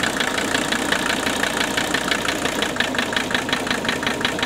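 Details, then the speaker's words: 1981 Mercedes 300TD, OM617 diesel, at idle: a sharp knock nearly twice a second over the clatter stays unchanged as each injector line is cracked, apart from a slight change on cylinder one; the cause is still unknown. "Same thing there. Still knocking. All right, let's go back to number one."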